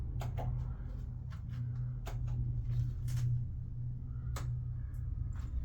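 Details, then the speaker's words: Jeep CJ-7 EV conversion on a temporary wooden motor mount, starting up: a few sharp isolated clicks over a quiet low hum, the contactors pulling in normally at startup. "I'm going to start it up uh yeah you'll hear a click and then another click and then it'll"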